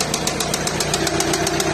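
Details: VW Passat B7 2.0 TDI (CKRA engine) at idle: loud, regular sharp metallic knock about eight times a second over a rough diesel idle; source not pinned down.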